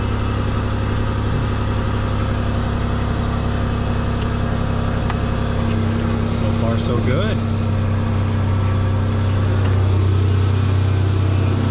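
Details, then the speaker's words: 2010 Dodge Grand Caravan 3.8 L after a multiple-cylinder misfire was fixed: steady, even idle with a deep constant drone and no stumbles; loud exhaust from a hole somewhere in the exhaust; runs smoothly, normal idle. "i hope you guys can hear me okay but still a loud exhaust noise but that's just because there's a hole in the exhaust somewhere yeah she's nice and smooth"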